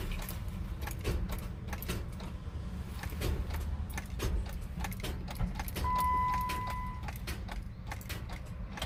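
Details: 2008 Jeep Wrangler JK with a battery reading 12.78 V that still fails when jump-started: quick dry clicks with each key turn under a faint chime, about 20 turns before it starts. Clicking no-start, cause unconfirmed.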